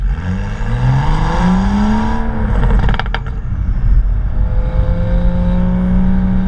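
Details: BMW M235i with HJS high-flow sports cat, standard exhaust and BMS tips, revving: thin tinny metallic buzz and brief rattle over exhaust drone; cause found: disintegrated inner clamps/clips in one BMS tip section rattling loose.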